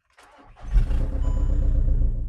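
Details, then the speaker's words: VW Caddy fitted with a 1.9 TDI PD (BLS) in place of a 2.0 SDI, first start with no coolant and low fuel, run only briefly: a brief crank, then it catches within a second into a steady, even low diesel clatter; a normal diesel start. "Yes, there we go. We have no water in it, so I'm not going to run it for a long time. But there you have it. SDI to TDI swap completed."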